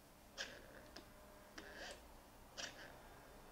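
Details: Mercedes SL600 with both throttle actuators repaired and E-gas module tested, ignition on: faint sharp clicks and short whirs about every half second as both throttle motors move in sync; normal operation.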